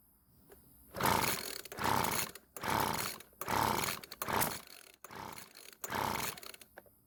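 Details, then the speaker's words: Weedeater leaf blower with low 110 PSI compression, cranked by pull cord at half choke: seven rough pulls, each with a sharp backfire crack, never firing; won't start, and the owner suspects a remaining engine fault. "well that was not what I was hoping to see happen it didn't even try and start but at least it's still backfired like it did before"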